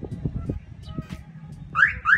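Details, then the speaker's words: Cobra car alarm that locked and unlocked silently with doors closed, restored by pressing lock and unlock together until it sounds: two quick rising electronic chirps over street noise; siren working normally again. "pagka tumunog na ganon pag ano pindot niyo meron ng siyang tunog aan may alarm na uli siya"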